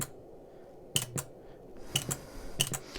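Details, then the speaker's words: JCPenney vintage 8-track cartridge player: crisp double clicks about three sets a second apart as the track-change solenoid steps the head through its four track positions when the button is pressed, working normally. "so you see every time I press that that little booger down there activates and does a little twisty turn thing changing the location"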